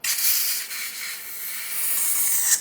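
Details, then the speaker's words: Handheld butane torch being refilled, valve set to off, can nozzle pushed into the bottom fill hole; steady high-pitched gas hiss of normal flow, stop once it sputters, then let sit about 15 minutes before use. "hear the sputtering as soon as you hear the sputtering you can stop"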